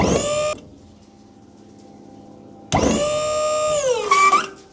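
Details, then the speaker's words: Dump trailer replacement hydraulic pump, not yet bolted to its frame, with a bigger battery: two strong whirring runs whose pitch sags smoothly under load as the bed lifts, with no stutter. The pump operates normally. "eird, maybe because it's a bigger battery, but it definitely sounds like it has more power."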